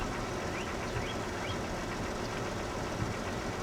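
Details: 2000 Jeep Cherokee XJ, 193,000 miles, neglected, cold lifter noise issue: quiet even warm idle with soft hum and no lifter tick left, good oil pressure; valvetrain sounds normal.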